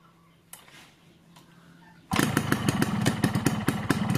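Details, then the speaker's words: Two-stroke motorcycle on Husqvarna HP 2T oil and Pertalite fuel, stock carburettor at standard jetting 22.5/145, aftermarket Crun block and GASPOLL CDI; it starts easily and settles into a crisp popping idle judged normal for the standard setting. "Nah kemudian untuk suara mesinnya dia ini termasuk normal teman-teman ya masuk normal Enggak kasar-kasar banget juga enggak adem normal lah ini untuk setelan standar"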